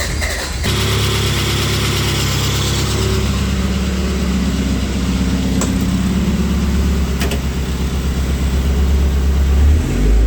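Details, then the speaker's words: Toyota Celica GT-Four ST185 with freshly assembled 5SGTE Beams engine, first start after tightening a loose battery terminal that caused slow cranking, healthy oil pressure: fires straight up, revs cleanly with steady beat, no knocks; normal start and revving. "the motor was cranking over pretty slow so I checked the battery terminal and it was a bit loose I tightened it up so now it should crank over a bit faster"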